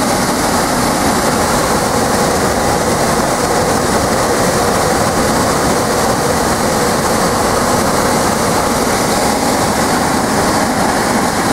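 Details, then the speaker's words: Replacement 3/4 HP blower motor from an old air handler or furnace, rebuilt into a squirrel-cage shop fan, first switched on with an amp probe attached: loud, even rush of air and steady drone, no knocks or rubbing, running normally. "go ahead and turn that on wow and throws out some"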